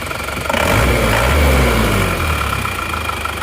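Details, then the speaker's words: Engine at about 30 °C, very cold, idling and revved, with owner complaining of heavy blow-by: steady even idle, soft and smooth, no tapping; engine sound is normal, although smoke shows at the dipstick. "untuk suara mesin menurut saya tidak kasar Ya bisa dibilang standar maksudnya tidak kasar untuk halusnya ya masih terdorong halus"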